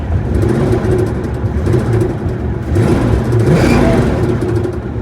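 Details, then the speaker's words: 1965 Ford Mustang coupe V8 lugged down in third: low, uneven droning shudder that follows input rpm and vanishes with the clutch in; vibration suspected between flywheel and transmission, cause unconfirmed. "Got her lugged down. See that downshift in the third? And that noise comes back. It's definitely input RPM specific. So I can put the clutch in. Goes completely away."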